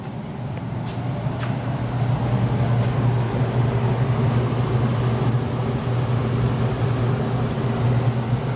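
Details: Apartment AC with iced-up coils and no blower: after jumping the thermostat red to green, a steady low hum builds and settles as the indoor blower runs. Likely a bad thermostat.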